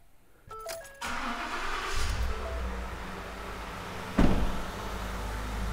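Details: V8 engine with the spark plug reinstalled and scope clamps on the coils and injectors during misfire diagnosis. It cranks, catches within a second and settles into a steady, even idle with no miss: normal idle.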